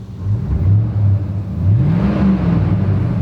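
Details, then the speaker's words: 1999 pickup with 250,000 miles, modified exhaust and aftermarket air intake, revved at idle; deep steady V8 burble climbing smoothly, no shaking, misses or knocks, no smoke. "The exhaust has been modified too. But the engine, running pretty smooth. Isn't shaking."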